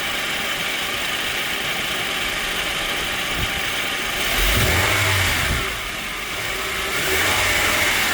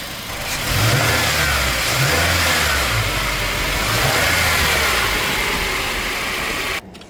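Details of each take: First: 2005-2023 Toyota Tacoma engine running with a rough shaking chatter that worsens when the AC compressor engages, caused by a worn serpentine belt tensioner (located under the alternator), before replacement. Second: Toyota Tacoma (2005-2023 generation) running with air conditioning on after replacing a worn serpentine belt tensioner that shook badly when the A/C compressor kicked in: steady, even run with no squeal or shake; belt drive healthy.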